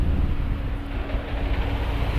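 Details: Ford BF Falcon XR6 Turbo idling with the throttle position sensor unplugged: deep, uneven, wavering low rumble with a faint steady hum; rough idle.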